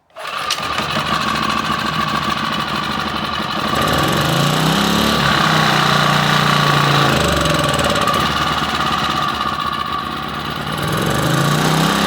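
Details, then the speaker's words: Champion 1800/1400 W generator that sat 8 months, running on half choke: catches quickly, then its speed hunts up and down every few seconds; rough surging, suspected to be struggling to pick up fuel. "again next one on half choke so it's struggling to pick up fuel"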